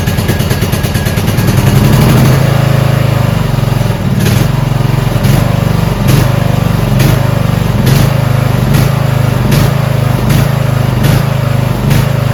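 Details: Toro Wheel Horse 1438HXL lawn tractor repowered, with good battery and choke on: quick crank, catches within a couple of seconds, settles into a steady, even idle; starts and runs fine.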